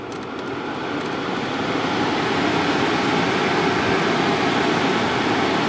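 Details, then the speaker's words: 2019 Subaru Forester cabin climate blower turned all the way up: loud, steady rushing whoosh of air that swells slightly and holds, likened to a jumbo jet engine; working normally, just noisy by design. "There are a few negative issues you have to deal with. First of all, the noise. If you turn this up all the way, it's loud."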